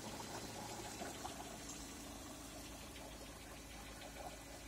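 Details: Lada Priora with the 126 engine, 130,000 km, Mobil 10W-40 oil, at idle: a light, fairly quick, uneven knock about twice per second. Engine knock of unknown origin.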